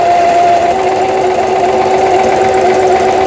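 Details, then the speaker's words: Singer 6180 sewing machine after repair of the needle-bar support and twisted shuttle-race shaft, running the overlock stitch along the fabric edge: a fast, even whir with no knocks or catches. Normal overlock stitching. "요게 이제 옷감의 가장자리에 오버록, 그렇죠? 천이 풀리지 말아라 하고 오버록을 쳐주는 기능이 되어 있어요."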